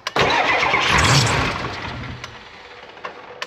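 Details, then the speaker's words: 1994 Ford F350 diesel ex-fire truck, previously non-running from a fuel issue, after glow plugs cycled and lift pump fuel flow confirmed: brief crank, catches at once and settles to idle; clean start, oil pressure came up. "that was easy you got oil pressure"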